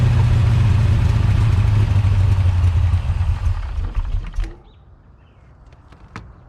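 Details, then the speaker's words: Big-cam big-block Chevy with rebuilt Holley 750 double pumper carburetor, during idle tuning: curb idle screw turned up, idle rises and runs high and uneven, then sags over a few seconds and stalls without another pump shot of throttle; rough idle and stalling. "so you saw there I turned up the curb idle screw it idle went up I was able to let my hand off the throttle but it was idling high and after a few moments it wanted to fall back on its face and wanted to stall out and it needed another pump shot of gas"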